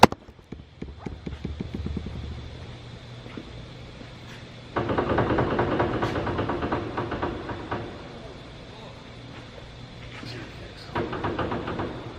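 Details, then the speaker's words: Newly bought cheap used vehicle, wheel off, front wheel rocked by hand: quick loose clunks and rattles from steering linkage play, explaining severe death wobble. "Wow. I can't tell you guys how many times when I was delivering in this thing had the worst death wobble ever. And now I know why."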